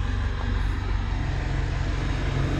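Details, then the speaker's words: 2016 Mitsubishi Montero Sport, check engine light on, now starting easily: a deep, slow idle of about 600–700 rpm with a soft throb and no misses. The idle speed is too low. "Kaso ang problema ayan may check engine tapos napakababa ng menor. Ang baba ng menor niya oh."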